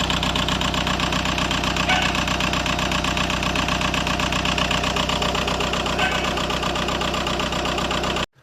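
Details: Engine with codes P1666 and P0301 and an electrical error: loud, rough idle with an uneven, lumpy beat about one and a half per second and the engine shaking; cylinder 1 misfire.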